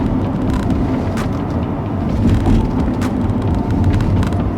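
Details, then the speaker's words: B-Series Ford Falcon road test after replacing front wheel hubs: even tyre and road rumble while turning right and left at speed, no grinding or growl; new front hub bearings quiet. "No noise. I believe we've got that sorted."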